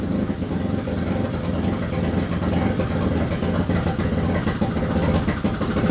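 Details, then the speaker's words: Turbo II FB RX7 rotary engine on its first real run, after leading/trailing coil checks; lumpy, uneven running with ragged low pulsing and unsteady revs, not firing cleanly, smoking out the garage. Rough running, cause not confirmed. "yeah so yeah this first time that motor has ever really run so I'm super happy still a few other kinks to work out with me"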